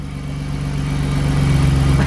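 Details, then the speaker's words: BMW E36 drift car after new exhaust gaskets fitted: steady, even low idle climbing smoothly into a short rev, with no ticking or puffing from the exhaust; healthy idle and rev, no leak. "at least it's got gaskets in there this time. Sounds good to me, mate."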